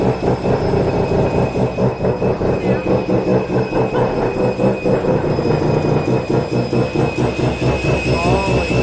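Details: Mazda FD RX7 RS Series 8 bridgeport rotary with Hypergear T51R single-turbo conversion, first start, untuned, open dump with no muffler: very loud, raw idle with sharp rapid exhaust pulses and steady rasp.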